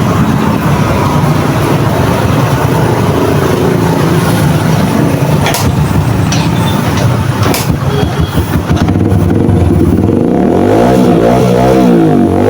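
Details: Yamaha XTZ125 that misfired despite new CDI, rectifier and wire harness, after adding a fused 12 V constant supply to the CDI: steady run then smooth climbing revs with no misfire or stumble; normal revving.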